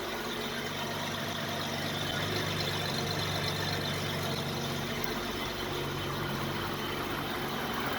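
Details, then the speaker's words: 1980s BMW 635 CSI E24, M30 petrol six, barn find, idling after rocker clearance set to 0.20 mm: smooth, even idle with a steady low hum, valvetrain quiet, far less noise than before. "Ah bah oui, beaucoup moins de bruit là. Ah oui, rien à voir. Là, ça ronronne comme un 6 cylindres, enfin."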